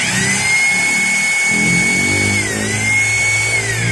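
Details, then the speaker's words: Maktec MT870 rotary hammer in concrete mode: steady high motor whine identical to plain drill mode, no hammer blows or vibration; hammering not working, worn mode-change gear suspected. "isa kalian dengar dari suaranya ini sama saja tidak ada perubahan Seharusnya kan mode bor biasa itu suaranya halus dan untuk bor beton suaranya lebih kasar"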